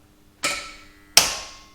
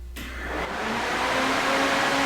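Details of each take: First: 2JZ-swapped Nissan 240SX starting on its own battery: two sharp single clicks about a second apart with no cranking; starter signal wire gives too little voltage to actuate the solenoid, fixed by splicing a relay into the signal wire. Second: 2JZ-swapped 240SX after a relay was spliced into a starter signal wire that gave the solenoid too little voltage: strong, even cranking with a steady starter whine that holds up with the radiator fans drawing current; problem solved.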